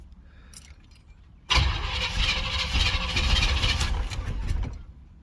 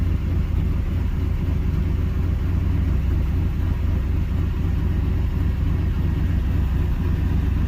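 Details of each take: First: 305 H.O. small-block Chevy, first cold start of the day at 61°F, choke fully open, after one pedal pump: starter grinds about three seconds, the engine sputters and half-catches, then dies. Hard starting, won't stay running. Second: 305 H.O. small-block Chevy restarted after sitting an hour, accelerator pump squirt confirmed: deep steady V8 idle with even lope and small rise near end; restarts and idles normally.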